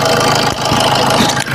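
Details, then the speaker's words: Maruti Suzuki Swift diesel with about 250,000 km, whose only fault was a loose timing chain and free tensioner: short stretch of steady, even idle with no knocking or rattle from the front. Valves fine; normal idle. "വണ്ടി working ഒക്കെ operation ഒക്കെ ഓക്കെയാണ് വേറെ കുഴപ്പമൊന്നുമില്ല അത്യാവശ്യം normal വണ്ടി വണ്ടിയുടെ normal sound ഒക്കെ ഉള്ളൂ"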